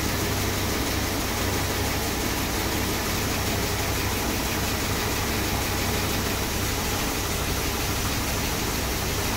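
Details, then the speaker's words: Freshly rebuilt 440 big block V8 in a 1966 Chrysler New Yorker, first start-up after installation: steady, even idle rumble with a smooth low beat, no knocks, ticks or stumbles; normal idle, running sweet. "she's running sweet it's amazing my first rebuild she sounds Lush nice"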